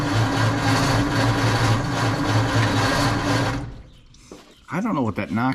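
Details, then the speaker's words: 1948 Ford F5 truck, dormant nearly 30 years, cranking with starting fluid while distributor timing is being adjusted: steady crank with a rhythmic knock about four times a second and no catch; a new knock of unknown origin. "is That Knocking is a new noise I don't know what that's coming from"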